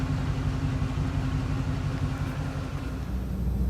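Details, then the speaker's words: 1966 Oldsmobile Ninety-Eight V8 with a dieseling-at-shutoff issue, after turning the carburetor idle speed screw down almost 2 turns and adjusting idle mixture: low soft even rumble, no stumble or surging, no longer screaming at high idle; normal idle. "Did some idle speed and mixture adjustments. She seems way happier. Very docile on the RPM. At idle. Not screaming like she was before."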